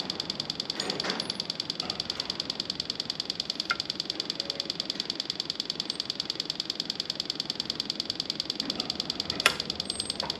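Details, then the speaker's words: 2021 Husqvarna TX300i two-stroke, 130 hours, after top-end rebuild with new oil pump: wake-up plug connected, throttle held wide open five seconds to bleed; quiet steady ticking about three per second with faint hiss, pump priming normally, oil line turns red. "there it goes you can even hear it ticking away"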